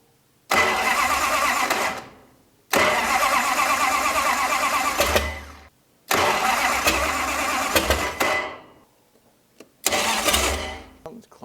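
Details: 1968 Dodge Coronet V8 four-speed, off the road for decades: barks into life in rough, uneven bursts with a tinny metallic chatter over the firing; header collector flanges rattling.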